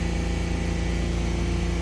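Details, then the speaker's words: 2014 Ford Explorer with the throttle position sensor unplugged. With the pedal fully down the engine holds a flat drone around 3000 rpm, climbing slowly and topping out near 3500; failsafe rev limit, circuit low code. "currently i have the pedal pushed all the way down and we're only hitting about three thousand so it's still not working too it's fullest slowly climbing"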